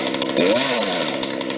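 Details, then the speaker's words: Used two-stroke chainsaw, still cold, started first try with no setup, despite a marked cylinder: crisp buzz climbs smoothly as the throttle opens and holds high revs without stumbling, chain moving fast; normal acceleration. "she accelerates decently and the blade moves fast it moves well when it accelerates"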